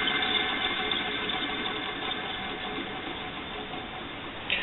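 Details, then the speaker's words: Electric motor from an exhaust fan, after oiling its oil ports: a steady high thin squeal over the motor hum with a dry grinding rasp beneath, most noticeable after unplugging; likely a worn, dry bearing. "it's still making a little bit of a squeak noise it's still got a little bit of grinding noise especially after I unplugged it"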